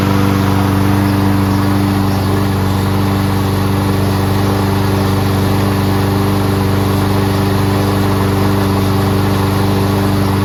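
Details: Toro Recycler Personal Pace mower with Chinese Loncin engine, started on first pull with choke manually closed after self-propulsion repair: steady, even drone with no misses, surging or knocks and no smoke despite being on its side; running smoothly.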